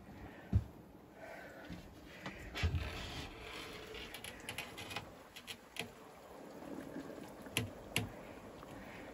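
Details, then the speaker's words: Off-grid flooded battery bank under equalize charge, lid cracked open: soft irregular pops and gurgles as the batteries boil and gas, as intended. "I always crack the lid on the batteries and uh let me just go in here you can hear them boiling do you hear them boiling"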